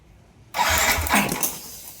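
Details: Yamaha NMAX V1 scooter (odometer 105 km) that would not start for a month: a short starter whirr fades without catching. No check-engine light, ignition being checked; a clogged fuel injector starves it of fuel.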